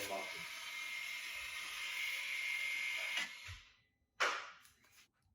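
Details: BMW G30/F90 with the electric rear parking brake placed in service mode via an app for rear pad replacement. Steady electric whir with a thin high whine for about three seconds, then it stops. Rear brake motors are retracting normally.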